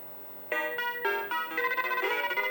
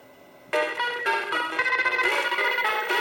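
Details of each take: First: Mappy arcade PCB with questionable old RAM in 3L and good 2148 RAM in 3K: clean chiming game tune, crisp notes, no crackle or scratchiness; sound working. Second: Mappy arcade PCB with old RAM in 3K (good RAM moved to 3L): harsh scrambled tones and crackly chords; either old chip in 3K sounds terrible, possibly too slow because aged.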